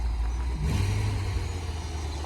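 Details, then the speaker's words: Bentley, formerly a non-runner, after repairs: deep smooth low rumble swelling cleanly on throttle blips and settling back, no knocks, misses or smoke; very quiet, healthy engine. "everything about it no smoke is very very quiet and it just looks like new"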